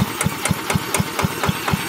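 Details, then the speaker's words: Villiers Mark 10 side-valve engine that hasn't run properly in 30-40 years, ignition recently fixed, being kick-started: evenly spaced firing pops about four per second but never runs on its own; owner suspects fuel starvation. "ah right now i think she's just being starved of fuel um i'll give it another go"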